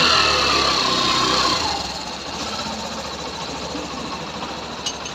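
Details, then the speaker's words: Hero Passion Pro BS6 bike after half engine rebuild to cure engine noise: small single idles with an even, crisp ticking beat, no knocks or rattles; sound and pickup now like new, normal idle. "पहले किस तरीके से आवाज था और अभी जो इसकी आवाज आया है वो यानी कि बिल्कुल जिस तरीके से न्यू में होता है सेम उसी तरीके से और पिकअप भी सेम वही है"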